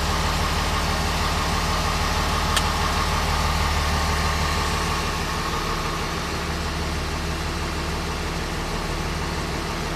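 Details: 2006 Dodge Ram Cummins with a long-crank, slow-start problem, high-pressure rail sensor voltage being monitored: steady diesel idle after a long crank, regular low clatter near three pulses a second. Low rail pressure suspected, unproven.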